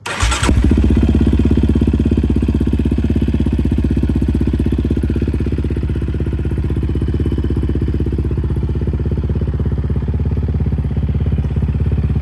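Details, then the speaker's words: Yamaha Raptor 700 single-cylinder ATV, long unused, in neutral with airbox off; catches within half a second and settles into a steady, even thumping idle with no misses, running clean, tune spot on. "But yeah, like I said, it's been sitting for a long time and as soon as I started it the first time, it started up instantly. Like, this thing is spot on tune-wise and the engine runs pretty"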